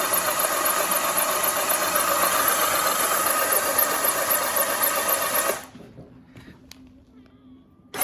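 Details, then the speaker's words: 1984 Honda CBX750, engine rebuilt and refitted, dry cranking with spark plugs out but in their caps, oil in crankcase, no fuel, to get oil flowing: starter spins the engine evenly and quickly with a steady whirr and no clunks; normal cranking, spark present. "yep so we got it's cranking we have spark right so the the dry cranking I say dry I mean no fuel plugs out seem to go okay"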